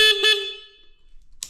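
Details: Mini bike with a swapped-in Honda Rebel engine, basic wiring just hooked up: two short, bright honks on a steady buzzy tone, then silence. The horn works properly.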